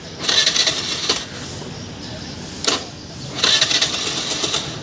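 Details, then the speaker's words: Suzuki Access 125 scooter with a ticking-on-self-start complaint, after the weak battery was fixed. Two short starter whirs, each catching promptly into a quiet, steady idle with no ticking; normal electric start. "ये देखिए perfect start हो रही है गाड़ी"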